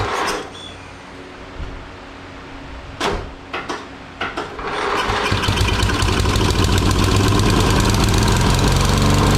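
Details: Murray lawn mower single-cylinder engine after carburetor cleaning of debris from dirty fuel, on choke and full throttle, primed with gas: a few cranking bursts, then catches and settles into a steady, even run with no misses or hunting.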